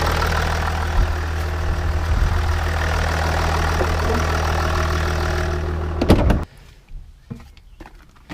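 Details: Jaguar XJ diesel after a fuel filter change, filter primed with fresh diesel and no leaks; steady, even idle with a smooth low rumble and no knocks or misses, then shut off.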